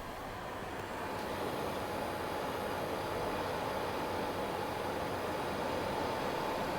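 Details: Xbox One X Scorpio Edition fan noise that worsened under graphically intense games: a loud, steady rushing whoosh with a faint constant whine; the owner suspects dried or misplaced GPU thermal paste. Finding: loud cooling fan.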